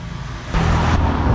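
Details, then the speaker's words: Samsung inverter refrigerator being recharged with R600a refrigerant, suction around 5 psi: low steady hum jumps louder about half a second in and holds as the inverter compressor spins up to high speed chasing temperature; normal operation. "oke sekarang terdengar suara kompresor putarannya sudah mulai kencang"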